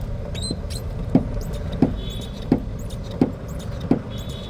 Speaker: OM 3 aracımız ön soldan güm güm güm diye ses geliyor bakayım bir dakika salla